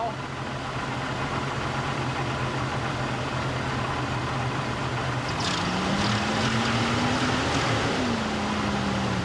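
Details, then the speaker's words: Barn-find 1998 Jeep Cherokee XJ with torque converter unbolted and bell housing cover removed: steady, even idle with a smooth low hum and a brief rev rise, completely quiet now. Normal engine running. "i mean yeah that's completely quiet now"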